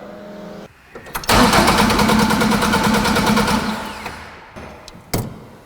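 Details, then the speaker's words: Ford Mk2 Escort custom restoration: starter churns the engine steadily but it never catches. Cranks without starting; the fuel pump was found to switch off while cranking. "and it won't start again. So, I went back to my programming just in case. No, still wouldn't start."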